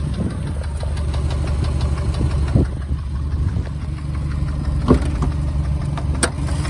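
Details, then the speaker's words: 2013 Subaru WRX STi petrol engine, 76,021 miles, at idle: steady rhythmic knock from deep in the lower part of the motor, lower engine knock. "you could hear an obvious knock from the lower part of the motor and it was sold with a green light"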